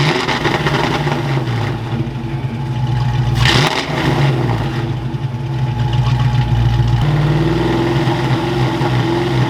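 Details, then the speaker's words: Fox-body Mustang V8, just revived after sitting, timing reset roughly: uneven stumbling idle, revs flatten and cut out near 3000 rpm instead of climbing; dead cylinder because an injector plug was left unplugged after voltage testing. "so that whole not revving thing was because we're firing on seven cylinders boys i was testing for voltage on this side and i left the injector plug off so we run on seven cylinders"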